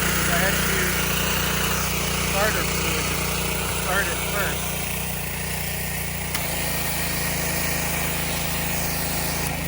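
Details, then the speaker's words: Subaru EA190V pressure washer, previously non-running and now repaired, with a higher-pressure nozzle tip fitted: a steady engine drone holding speed under pump load with no hunting or misfire. Pressure now builds; normal running under load. "I switched it to a higher pressure nozzle tip and the pressure seems to be built and it's washing"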